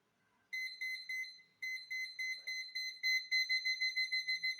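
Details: Cheap aftermarket parking sensor demonstrated with a broom at about 50–30 cm: sharp high beeps about three per second that speed up as the object nears; readings are fairly accurate but the sensor is noisy, giving normal proximity warning.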